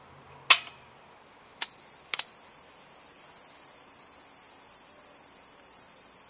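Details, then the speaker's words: Lotos LTP5000D plasma cutter with faulty pilot arc, no cutting and no power to the cooling fan: a few clicks at switch-on, then a steady very high hiss-whine from the power supply board, suspected high-voltage leak or breakdown, unconfirmed. "like a high voltage leak like a breakdown it's coming from right I think more on this board"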